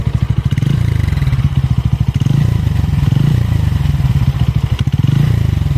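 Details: Bajaj Pulsar N160 single-cylinder, smooth until its first service at 500 km: rapid rough thumping that swells and fades with faint clatter on top; abnormal engine noise since that service, cause unknown.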